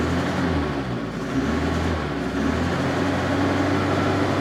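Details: Opel Ascona engine whose idle wavers and dips, nearly dying, while old fuel is still in the system during a revival with cambelt, water pump and oil change. Rough idle; owner suspects old fuel clogging the carburettor jets.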